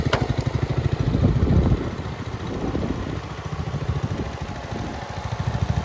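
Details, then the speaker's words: Red 1962 Bolens Ride-a-matic tractor started with a bit of choke after restoration work: the small single gives a steady low putter with even firing pulses at a fast idle and no knocks or misses, running very well. "we are back in the workshop now uh because just after that last clip where it was running very well"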